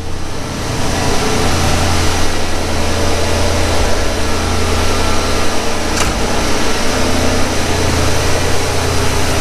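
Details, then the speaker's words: 1991 Ford Mustang GT Foxbody convertible, true cold start after throttle body cleaning and overhaul: deep, even low rumble with no surging or hunting; idle that previously hunted is now fixed. "let it idle down here a little bit well that's a heck of a lot better than what it was before i'll tell you that much yep that fixed it"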